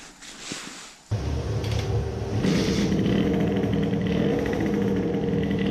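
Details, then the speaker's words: Two-stroke moped, new racing carburettor with 110 main jet: quiet start then screams at full throttle but breaks up and burbles unevenly; still some lean problem, full-throttle sputter, 110 still too big, fuel puddle forms. "there is still some lean mixture problem but it is still sputtering at full throttle so the 110 was still too big"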